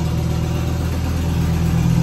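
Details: Volvo 850 T-5R with an IPD exhaust, Japanifold, 16T turbo and angled downpipe, just installed: a steady low idle with a faint raspy puffing under the rumble, an exhaust leak later found at the manifold-to-turbo connection, to be tightened.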